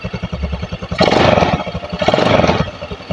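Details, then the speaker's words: Honda Beat carburetor scooter, owner complains of high fuel use; after freeing a pinched automatic-choke cable (air filter off, carb and spark plug not yet serviced), idle is now soft, even and stable, no longer hunting. "oke Ya ini RPM sudah terdengar lebih enak ini Mas gak engak ginjal-ginjal seperti di awal ya ini sudah lebih stabil rpmnya"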